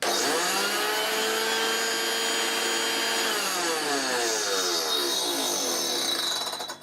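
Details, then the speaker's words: HooverLux U1040 Dirtsearcher Junior vacuum cleaner after its non-running motor was swapped with one from a spares machine: high whirring motor with a rough scraping edge that winds down; the fan is rubbing and needs extra spacing. "it did although do ignore all that noise at the boater because I do need to put an extra space some of the fan all that was was just a check that it's spam which it does"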